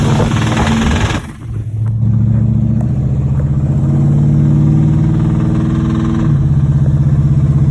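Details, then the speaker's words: 1986 Chevrolet Monte Carlo SS V8 at idle, driven about three days with a bottom-end knock: a steady, deep knock about four per second under the exhaust. Oil pressure still good but lower than normal. Rod knock. "I've been driving it for about 3 days now. I hear the bottom end knocking in it."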